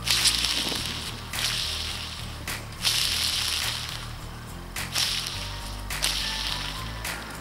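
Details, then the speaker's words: Honda VF1000F Interceptor wheel bearing just removed, spun by hand: repeated gritty, rasping whirs that fade each spin; bearing likely due for replacement anyway. "this bearing was probably up for replacement anyway"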